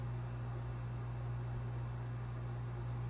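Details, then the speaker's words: 1988 early Menards ventless spotlight ceiling fan on low speed: steady low motor hum, turning slowly with no speed-up; low speed seems slower than it should be, owner suspects it needs a new capacitor. "So yeah, low speed here is pretty slow. It's nice and aesthetic. I feel like it's supposed to be a little bit faster than this, but oh well."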